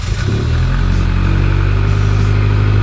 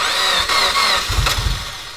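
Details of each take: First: Rebuilt Mitsubishi Evo X engine on its first start and break-in, throttle varied between about 2000 and 3000 rpm for 20 minutes: a steady, even note rising and easing with throttle, running smoothly with no knocks. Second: Mitsubishi Evo X with freshly rebuilt engine, first start, started after about five tries holding the gas pedal floored: rough burst of cranking, engine barely picks up and fades; a hard start.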